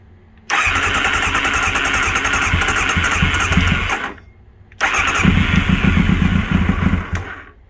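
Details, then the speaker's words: 1999 Kawasaki ZX9R carbureted four after priming ran briefly: two bursts of steady cranking at about four pulses a second that never catch. Cranks but won't start; carb bowls likely dry, so owner plans to fill them. "I say we try and get some fuel in them bowls."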